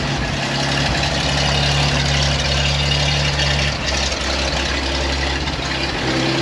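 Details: 1956 GMC 630 fire truck, 503 straight-six, rescued off a farm and primed with fuel poured into the carburetor: settles into a steady, deep low idle with an even beat and no knocks, running until fuel starves out.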